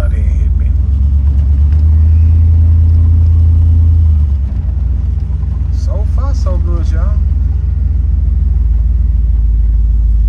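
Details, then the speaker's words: V8 G-body under acceleration on a road drive after Edelbrock 650 four-barrel carburetor rebuild attempt; steady roar swells as secondaries open cleanly, no bog, first time owner heard the four-barrel open up. "I even hit that fa Barrel over the up boy man I even hear that fa bar that's first time I ever heard F Bar opened up ever No Cap"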